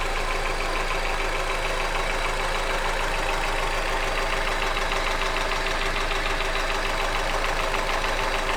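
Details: Hyundai Accent engine at steady idle with a sharp, regular ticking knock about three per second; an internal engine knock of unclear cause.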